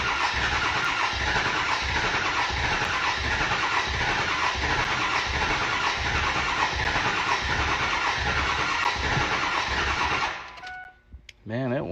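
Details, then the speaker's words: Ford 7.3 Powerstroke diesel truck that left owner stranded, restart attempt after waiting for fuel pump priming: steady starter churning with rapid chugging for ten seconds, never catches. Long crank, hard start. "waiting for the fuel pump to finish priming yeah it's taking forever"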